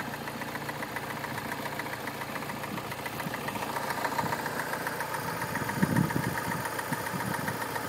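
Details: 2009 MINI Cooper S direct-injection engine, about 25k miles, cold start at 35F: quick uneven metallic timing chain rattle over idle, sharper than injector ticking; slack from failed tensioner, dealer replaced tensioner, chain and guide rails under warranty.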